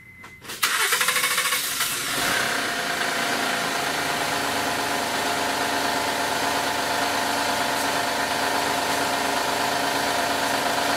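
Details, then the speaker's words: 2010 Honda Odyssey 3.5L i-VTEC starts and idles with a loud, busy metallic rattle from up top; a bad timing chain tensioner that must be replaced first, though more problems may exist. "as you can hear that's terrible rattle it's up here he's Asian here that's the 2010 Honda Odyssey"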